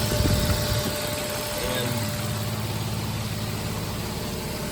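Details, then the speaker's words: 2006 Nissan Xterra idling after crank-no-start repair: steady, even idle, low smooth rumble, no misses, knocks or hunting; no check engine or warning lights. "we have a working radio we have a running car no check engine light no warning lights everything seems to be working perfectly"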